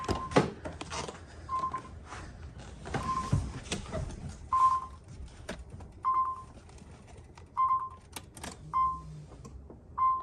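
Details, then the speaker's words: 1990-96 Nissan 300ZX (Z32) V6 starting and running steady and even after reconnecting loose coil connectors that caused misfires; possible slight exhaust split or leftover fuel burning off suspected. "well that sounds a hell of a lot better"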